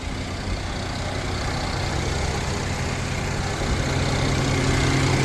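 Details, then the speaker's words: Mercedes-Benz M276 V6 at idle with a misfire on cylinder six: a deep, slightly uneven pulse, with the ignition coil suspected; the coil has been replaced and the fault cleared. "This guy is having some misfire. on cylinder six complaining of ignition coil"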